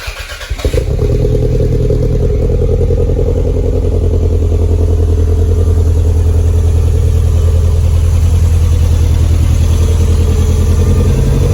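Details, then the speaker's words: Toyota MR2 freshly started after a new coil, fuel pump, leads and rewiring, still warming up: catches and settles to a steady idle with a recurring hiccup in the exhaust beat; misfire on one cylinder, which one not yet identified. "so what we might do is just work out which one is missing on and then we'll let it warm up a bit more"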